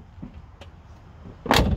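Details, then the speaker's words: GMC Suburban door after spraying Woolwax or Fluid Film inside the door, previously noisy: soft shuffle then one clean, solid latch thunk with no creak or grind; door closes smoothly (hinge pins still somewhat worn). "All you got to do is just spray wool wax or fluid film, and you end up with a door that sounds like this."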